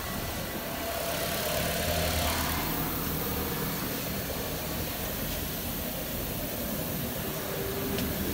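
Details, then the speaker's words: Nissan Versa on a lift in drive, wheel spinning at idle: smooth, even spin with no rolling vibration or growl felt at the spring, so this wheel bearing is good. "I don't feel the I don't feel the bearing on this side also so we know for sure this bearing is good"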